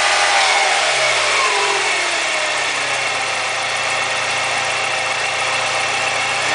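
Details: BMW E36 M42 engine after timing chain replacement: revs fall back to idle under loud hissy metallic rattle above engine note; abnormal noise, cause unclear.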